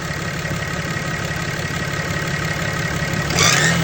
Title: What is this noise? #turbo #6.7Cummins #diesel #cummins